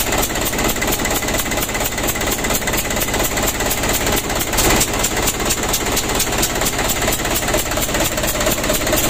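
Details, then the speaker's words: Mitsubishi 120PS Ragasa diesel idling, driver reported engine leak: rough, uneven chuff with a sharp puffing tick, very loud; compression leak found at injector nozzle number three. "dengan dulu ternyata Lur ada kebocoran pada nozzle nomor tiga Suaranya sangat crosshair ya"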